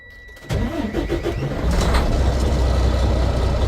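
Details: 2016 Freightliner Cascadia that had no power despite good batteries at about 13.4–13.5 V: after the fix, about a second of uneven cranking, then the diesel catches and settles into a steady, even low rumble, starting cleanly.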